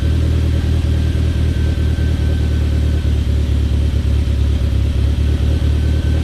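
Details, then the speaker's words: Talon on E85 after a cold start following two months sitting, given a couple of revs before shutdown; even firing pulses, deep rumble, smooth blips, no knocks or misfires. Normal warm-up idle and revs. "I think we'll give it a couple revs and then we'll shut her down."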